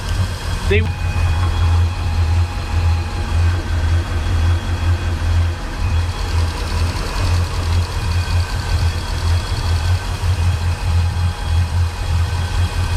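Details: Volvo Penta 8.1 GI (496) marine V8 at idle, deep uneven loping throb instead of a smooth hum, fuel regulator checked good; ear on the riser listening for the misfiring side; one dead cylinder from a clogged injector.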